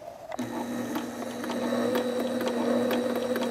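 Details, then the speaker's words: Sailrite LSZ-1 sewing machine after upgrade to new WorkerB motor, thread and bobbin removed, speed potentiometer turned all the way down, pedal at full speed: steady low motor hum with light even ticks about a stitch or two a second; normal slow running. "Yeah, that's about a stitch or two a second. Here's the flywheel going around. You can probably count the revolutions."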